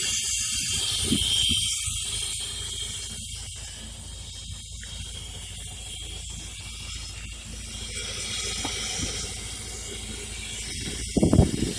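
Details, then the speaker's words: Mazda RX-8, fully warm engine at idle (air pump assumed off): steady airy hiss over idle, louder or softer around the bay, quieter from one side; pulling hoses changed nothing, owner suspects a loose solenoid; suspected vacuum leak, not confirmed. "I can hear the vacuum leak. I checked all of these. I pulled them and there was really no change in the sound, but you can hear that loud sound."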